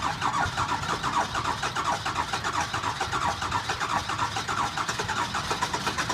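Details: 2002 Ford F-350 7.3L diesel with bad injectors, cold start after sitting about a week. Drawn-out cranking with an uneven, labouring beat before it catches roughly: hard cold start from the faulty injectors.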